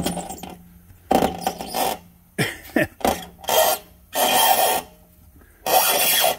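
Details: 2005/06 Chevrolet Silverado, raised front wheel turned by hand: gritty rasping bursts the customer mistook for grinding brakes; hub bearing failing, seized and jammed, with visible play at the caliper; hub and bearing replaced.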